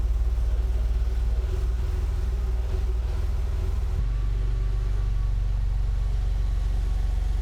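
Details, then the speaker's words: Porsche 911 flat-six bought from Copart as burn-damaged and "does not run", first start: steady, even low rumble with no knock or tapping, settling into a smooth healthy idle; only smells of fumes. "That's a Porsche 911 for a bargain price that is absolutely fine. Just smells of fumes."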